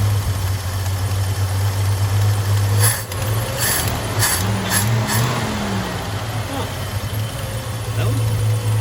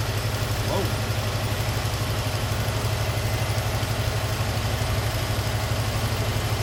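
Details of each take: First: 1978 Chevy C10 half-ton long bed, straight-six, automatic: after pulling the fuel filter and gaskets, the restarted engine gives a low, steady idle hum that holds speed without sagging or stumbling, no longer bogging down like before; normal idle. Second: 1978 Chevy C10 straight-six, automatic, single-barrel carb: after adjusting the tiny bottom screw the owner believes is the idle adjustment, an even idle with a quick firing beat, about four pulses a second, ticks over too fast; idle set high.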